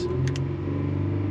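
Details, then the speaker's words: Toyota Sienna 3.3 with no forward engagement at first; engine drones at high steady revs and only starts moving at about 4,000 rpm. A burnt-out transmission is suspected; it engages better once warm. "I think this transmission's smoked and it's just burnt up to nothing yeah it's taking there we go 4,000 RPM now we're rolling"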